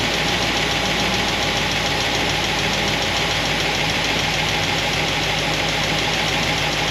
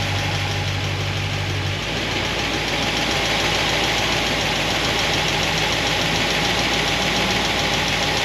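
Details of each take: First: Solid roller lifter engine, warm idle after fixing pushrod guide plates: dense, even solid-roller valvetrain clatter with no loud single tick, slight noise on passenger side; fixed, cause was guide plates, normal idle. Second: Solid roller lifter engine warming up, about 200 degrees, thermostat open, before valve lash check: busy clatter at idle that quickens as revs rise; valvetrain noise from pushrods rubbing guide plates.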